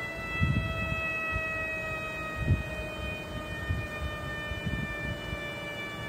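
Steady high whistle with several clear tones sits over a low, uneven running rumble; a constant hiss-whistle like this suggests leaking air. Cause suspected, not confirmed.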